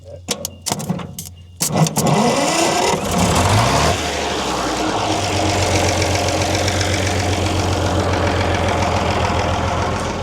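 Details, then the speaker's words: 1939 Allis Chalmers HD14 bulldozer with a 6-71 diesel, started after sitting for several years. A few starter clicks and a short crank, then it catches and settles into a steady, even idle. "There you go. That easy. It's been quite a few years."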